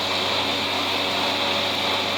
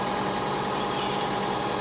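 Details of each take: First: Diesel tractor mowing thick, heavy hay: steady low, strained drone, lugging rather than picking up; short of power, owner suspects dull knives and a plugged fuel filter with cloudy, grayish fuel in the sight glass. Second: Diesel hay-mowing tractor after a dirty-fuel problem, lines bled and air purging itself, no fuel additive used this year: even, steady diesel idle with a constant hum and no misses or surging; normal idle.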